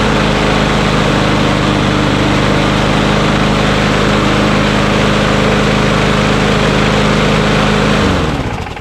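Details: Mower engine after its sticky throttle lever was lubed because rpm ran a little high: an even, strong single-cylinder drone holds steady speed for eight seconds, then winds down cleanly at shutoff. It only needed an adjustment and runs healthy.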